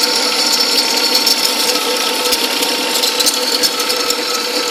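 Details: 2003 Cadillac CTS, intermittent noise that comes and goes from the belt area: uneven, dry ratcheting ticks a few times a second with little engine rumble underneath; cause unknown.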